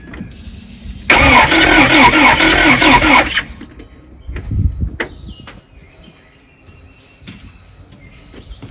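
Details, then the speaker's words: 41-year-old Porsche 944. Starter spins the engine steadily for about two seconds with no firing; cranks but no start, no spark and no fuel seen even with the spark plug out. "so we don't have no fuel or no spark I even took the spark plug out I ain't see no spark or no fuel at all"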